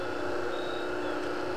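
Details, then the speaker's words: Quarter-horsepower furnace blower motor removed from the furnace, belt off, running unloaded on a cord with only two of its bolts in: steady hum with slight vibration; runs fine unloaded but won't ramp up under torque. "it's running okay it's vibrating a little bit but you might be thinking what the heck's wrong with it"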